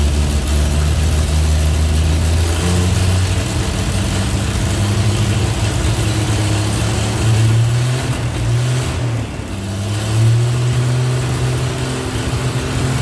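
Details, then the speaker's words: 1948 Chevy truck six, unrun for 30 years, diesel in oil pan, after readjusting points that stopped opening and closing: settles into fairly steady low idle with some unevenness, running acceptably; owner then thinks it lost fire. "doesn't sound that bad yeah I think I lost fire"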